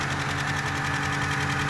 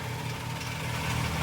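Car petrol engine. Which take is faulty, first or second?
first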